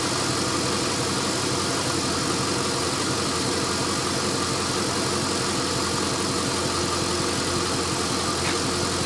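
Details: LS1 V8 after new intake manifold, headers and AIR/EGR delete: uneven loping idle with faint hiss; rough idle caused by an open fitting left uncapped after removing AIR/EGR parts, fixed with custom hoses, not ECU reflash.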